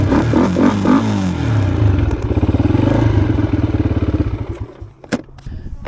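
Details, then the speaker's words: Yamaha Blaster two-stroke ATV after carburetor cleaning for bad running and bogging: revs up in quick bursts and settles, popping fairly evenly without bogging, brief stumble near the end; running a little better. "well we got the carburetor all cleaned out seems to be running a little better"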